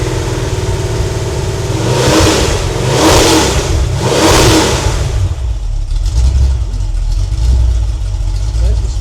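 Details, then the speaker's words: Freshly rebuilt Ford 302 V8 (E-303 roller cam, Edelbrock heads, Holley 600 carb) on its break-in run: three clean rev blips rising and falling smoothly, then a steady idle at about 700–800 rpm with no knocks. Reads slightly rich, and it sounds healthy. "yeah looks like we got about 700 800 RPM idle I think this Read's a little rich but uh the fan off for a minute sry for the sock"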